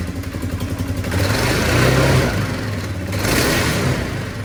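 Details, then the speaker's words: Polaris Sportsman 570 ATV near 6,000 miles, clutch cover off, engine running in neutral: uneven metallic clatter and rubbing rattle from the CVT clutch; spring looks good, bolts seem tight, cause not yet found. "guys i'm trying to find a problem with making a bad ruckus but the spring looks good i'll try to make sure the clutch is tight but seems tight to me"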